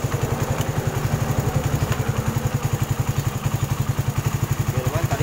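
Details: Suzuki Satria FU 150 single after rebuild with an aftermarket (KW) cylinder block lightly honed, valve shims and top set: even, low thumping idle about eight beats a second, steady with no knock, miss or tapping; earlier heavy smoking now fixed.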